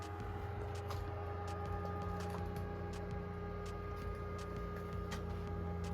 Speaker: The power button is on the back side here, and this is what it sounds like starting up.